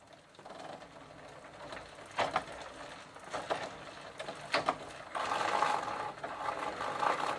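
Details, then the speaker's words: Sturmey-Archer AB 3-speed hub, cable detached, after WD-40 to soften old lithium grease, third gear position: uneven clicks and ratcheting rattles about four a second as the wheel turns; pawls clicking, chain loose and worn, cause suspected. "now i'm moving to the third gear position and now i can hear some of the falls making a clicking sound"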